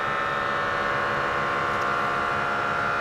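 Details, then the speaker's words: 2022 Ford F-250 with Air Lift WirelessAIR dual-path compressor filling the helper air springs to a preset: steady high buzzing hum at an even pitch, pressure climbing fast; normal operation. "it's actually climbing pretty fast. The bags are decent sized volume. I'd say probably pretty close to half a liter. So it's filling that up with air pretty quickly, considering we got one on each side."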